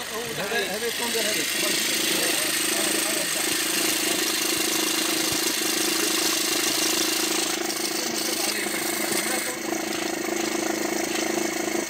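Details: Diesel at steady idle with a constant mid-pitched whirr over the clatter; tensioners and pulleys were not replaced when the timing chain was changed, and the pulleys proved to be the fault.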